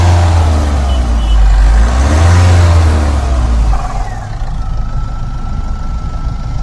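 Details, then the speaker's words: Mahindra Scorpio-N 2026 diesel that would not start (E25 no-start, dosing malfunction, then E22 DPF dosing malfunction, urea and check engine lights, SCR codes), after diagnosis: revs up with deep steady clatter, drops to even idle; now starts and runs smoothly. "हमारी गाड़ी start हो गई है।"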